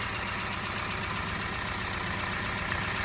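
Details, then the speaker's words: Hyundai Accent petrol engine idling with a bad misfire: an uneven, stumbling low-end pulse; unplugging each coil, the idle worsens except on cylinder 4, which shows no change, so cylinder 4 is dead; coil swap next. "there's no change. So right there, you can see that the problem is within cylinder 4."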